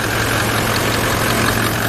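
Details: Toyota Land Cruiser 200 1VD-FTV diesel, cold start at shop room temperature after timing chain replacement for timing drive knock: steady even diesel clatter at idle, no rattle or knock from the chain end; knocks gone, oil pressure good.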